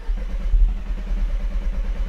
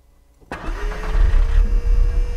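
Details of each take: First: Audi TT Mk1 on a booster with a tired battery: brisk even cranking around ten pulses a second, no firing, because the fuel pump was deliberately unplugged; cranking faster than in earlier tests. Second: Audi TT MK1 with an ongoing starting fault, recorded near the fuel pump just after it started: a steady mid-pitched whine over the idle. The electric fuel pump is running, though the owner suspects it may be tired.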